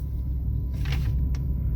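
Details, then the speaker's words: 2005/2006 Dodge Dakota rolling at about 5 mph: deep, steady growl, loud for such low speed, that stops when the truck stops, a rolling-type noise; worn wheel hub bearings. "see when i come to a stop the noise go away so what you can assume based off that alone is it is a rolling resistant noise it's a rolling type noise"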